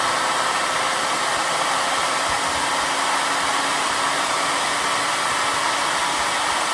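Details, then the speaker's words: Two-stage bladeless turbo with 25 discs in the first stage, unbalanced and still on its old bearings before new ones go in: smooth, even air rush with a faint steady hum and no knocks or wobble. Quiet; normal, smooth running. "This thing is really quiet. Wow. I can't wait to get the new bearings in there. These ones are much nicer. This thing just sounds so nice."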